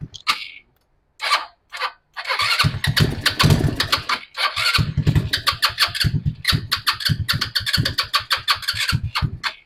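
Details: Non-running RPS 150cc sport ATV, given starting fluid and run at full throttle while choked to pull fuel and buildup through the carburetor: uneven bursts of revving keep cutting out between blips. Engine revs then stalls; carburetor fuel starvation or clogging suspected.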